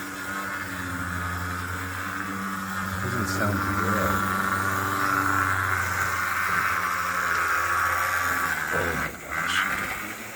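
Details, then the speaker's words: Athearn HO-scale Union Pacific DD-40 locomotive from the Blue Box era, unboxed and run: thin steady buzzing whine with a rough gritty edge from the small motor; gears dry with no lube, and it stopped right away on the slide test. "doesn't sound right and there's no lube on there nothing"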